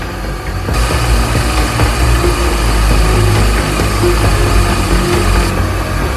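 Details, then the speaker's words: 2004 Mini Cooper S R53, re-run after its surging idle seemed cured, before buttoning up: rough, uneven idle with an irregular low rumble and scattered rattles. An unexpected new noise of unknown source. "What in the world is that?"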